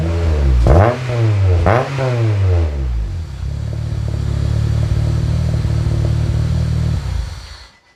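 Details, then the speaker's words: K-swapped RD1 JDM Honda CR-V, first start on a new mild-steel custom exhaust (3" downpipe, 2.5" back, resonator, twin-loop muffler), against a concrete wall: two sharp revs then a deep booming idle, louder than it should be. Owner suspects an exhaust leak. "holy that's loud i mean i am against a brick wall here a concrete wall so wow"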